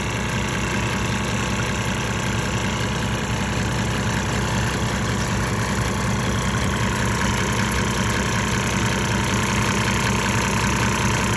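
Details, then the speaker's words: 1998 Mercedes-Benz E300 OM606 diesel at 9,000 ft, during LiquiMoly Diesel Purge, idle slowed back down from higher rpm: steady, even low-idle clatter without misses or surging, though some smoke remains; normal idle. "so responsive uh of course when you're running a little high RPM to go through faster but I've slowed it idle down sounds better"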